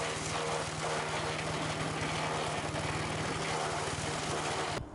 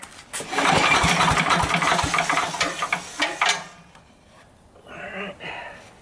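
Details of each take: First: Sears Craftsman 9HP chipper/shredder, over 30 years old and unused 5–6 years, just after its leaking carburetor was fixed and bench-tested. Started on choke at half throttle; a steady buzz with even firing and no surging or sputter. Carb no longer leaks; may need fine-tuning. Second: Sears Craftsman 9HP chipper/shredder, over 30 years old and unused 5–6 years, with 2-cycle mix dribbled in, choke partly open and throttle up. Several rough recoil pulls never catch. Owner suspects slow pulls, too much oil, not enough fuel; the cause is a dirty, leaking carburetor.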